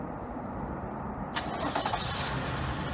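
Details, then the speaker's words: 2014-2019 Toyota Highlander push-to-start gas, automatic, with a newly installed and programmed remote starter; three lock-button presses trigger a short crank that catches quickly and settles to a smooth idle, a normal remote start. "And the car will start. Let it run for a few seconds."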